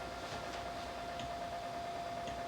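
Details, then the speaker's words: SAM Coupé booted with the SAM Extender and SAM HDMI, loading a demo cassette from a Mattel Aquarius data recorder: a constant thin whine over steady speaker hiss. Owner suspects feedback from the speaker cable, later the floppy drive; interference unconfirmed. "i have a feeling i'm getting feedback from the speaker cable almost sounds like that"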